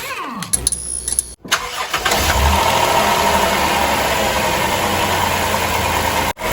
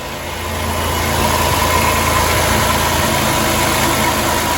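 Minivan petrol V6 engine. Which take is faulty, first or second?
first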